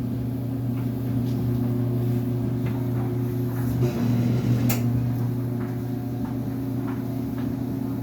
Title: dryer making loud noises